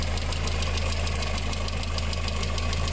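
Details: VW engine with timing chain, idling: a sharp, even tick about three times a second over the engine. Water-mixed oil from a blown head gasket runs through the hydraulic lifters.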